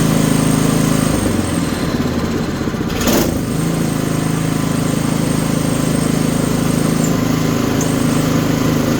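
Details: Toro 724 OE (1000 Series, 7 hp, 24-inch) snowblower being serviced, single-cylinder engine started on choke and throttle: a brief stumble at start-up, then a steady, even patter; runs clean and healthy.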